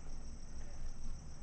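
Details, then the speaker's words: Sharp TU-96P vintage tube TV, chassis cleaned, powered on straight AC after a dim-bulb test. The tube glows but there is no raster. A thin high flyback whine sits over a low hum, and a faint low-frequency sound is suspected to come from the yoke. "and in a little while you actually do hear the high voltage or the flyback transformer oscillating"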